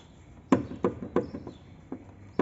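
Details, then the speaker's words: 2010 Renault Sandero: sharp, irregular metallic knocks from the front wheel, a loose brake caliper rattle that mimics a suspension knock and stops when the brake pedal is pressed. "e tu bota o pé na freio para de bater aí ó isso aqui engana parece suspensão"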